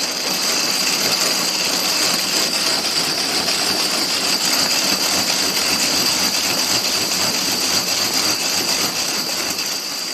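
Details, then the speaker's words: Homemade curved gravity roller treadmill with roller bearings and thrust bearings on the rollers, at roughly 10 mph: steady, hissy whir with a thin high whistle; still somewhat noisy though less than before, cause unclear. "that's a little less noisy but it's still a baby noisy just for reference that felt about a 10 on a regular electric treadmill 10 miles an hour speed"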